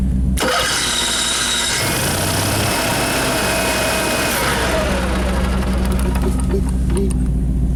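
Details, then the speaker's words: Motorhome main engine after fixing bad chassis-battery grounds that caused erratic gauges and dead jacks: starter catches quickly, steady even idle with deep hum; starts and runs normally. "Okay, anyways, I think we're back in business."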